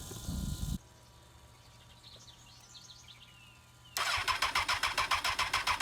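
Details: Honda FireBlade during a revival, first start after resealing a leaking fuel pump gasket and bypassing the kill switch; after the pump primes it catches and settles into a quick, even idle of about three and a half pulses a second, running well.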